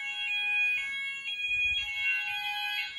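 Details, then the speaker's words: Apollo XP95/Discovery addressable house fire alarm in alert mode, heard around the house. Shrill pulsing tone about twice a second, steady and unbroken: normal alert signal, though the Symphony sounder was expected to crackle. "now we're going to do alert and go around and see the symphony is going to crackle though"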